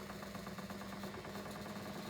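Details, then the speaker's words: English Electric 2800 rpm spin dryer after an unbalanced load, where the drum rocked a lot, was rebalanced. Even, steady motor hum with a light, regular rhythm and no heavy thumping; the drum spins smoothly and in balance. "Make sure everything's in the drum's balanced. And then try again. There we go, that's a lot better."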